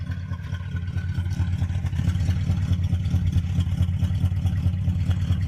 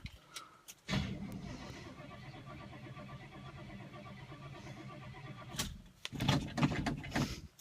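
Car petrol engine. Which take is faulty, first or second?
second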